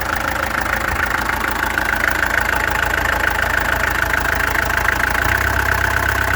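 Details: Peugeot XD2 diesel engine clattering at idle with an irregular beat, some strokes weaker than others; owner suspects a misfire, and the injectors were then removed, tested and adjusted. Cause unconfirmed.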